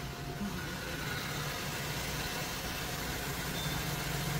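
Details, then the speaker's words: Maruti Suzuki WagonR after AC compressor repair (compressor had stuck, clutch sparked, engine loaded down), regassed with R134A: quiet, steady idle with AC on, no whine, rattle or grinding from the compressor; normal AC compressor operation. "तर पाहू शकता AC एकदम proper वर्किंगमध्ये आहे. कुठल्याही प्रकारचा AC कॉम्प्रेसरमधून आवाज येत नाही आहे. एकदम स्मूथली वर्क होत आहे."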